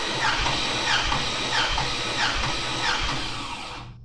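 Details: 6.2 LS engine bought on Marketplace, compression test with plugs out. Even, rhythmic cranking at about 90 beats a minute with no stumble. The gauge reads about 195–200 psi; compression is healthy.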